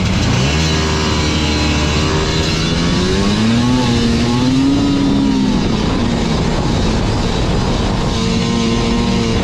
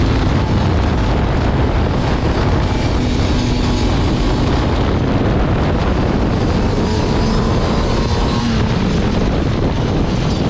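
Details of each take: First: Liquifire snowmobile two-stroke at 20°F, bogging from quarter throttle up; revs climb then stumble and sag, improved after adjusting to 30-thousandths clearance, but clearance found gone afterward, suspected cause of remaining bog; must adjust with dash down. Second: Liquifire two-stroke snowmobile at 20°F, which had bogged from quarter throttle up, after the choke plungers were turned 1.5 turns to set 0.030 in: climbs smoothly and holds an even pitch through throttle with no stumble or bog; acceleration normal, bog seems fixed.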